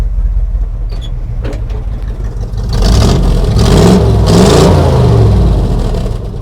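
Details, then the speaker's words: Squarebody plow truck that sat for years, running on a new battery: deep, steady V8 idle climbs smoothly through throttle blips and drops back cleanly with no misses or knocks; the hood bounces with rpm. Healthy idle and revving. "Sounds healthy to me. Still running great, guys. It's silent up here, too."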